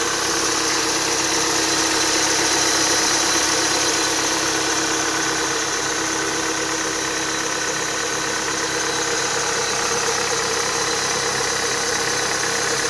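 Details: Renault Duster idling with a steady high-pitched whistle from the accessory drive belt, which appeared after 52,000 km; replacing the upper idler didn't cure it, the lower idler and belt were never changed: belt whistle.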